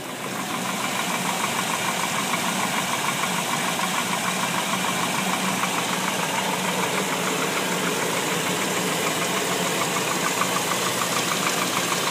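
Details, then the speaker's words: 1998 Chevy 350, 180,000 miles, idling after a few minutes of warm-up with 50 to 55 psi oil pressure: a steady even knock about three per second, softer than cold but clear; owner wonders if water pump or front pulleys cause it. "it's definitely still knocking not as loud is there any chance it could be the water pump or any of these other pulleys in the front that's knocking"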